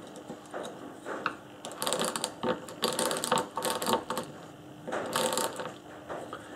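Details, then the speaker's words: Briggs & Stratton engine on an old Webb cylinder mower, starter turned by hand: bursts of quick dry ratcheting clicks as the pawls randomly catch; starter clutch working normally. "so it's just random which one gets caught and the way the way this works is when you pull it round it's doing that and when it when the cables are when the chords are turning it's doing that"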